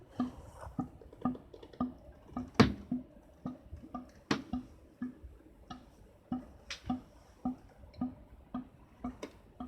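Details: Air conditioner: soft drips about every half second, hollow and echoing like water falling inside the piping; source not identified.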